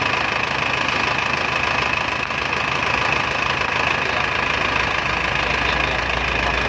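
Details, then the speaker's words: Isuzu Panther 2.5 diesel at idle on first start after an overhaul with new main and rod bearings, new piston rings and liner boring: a steady, even clatter about four beats a second with no single knock; a healthy engine. "Kita dengarkan suara mesin Isuzu Panther 25 setelah overhaul ya bro ya."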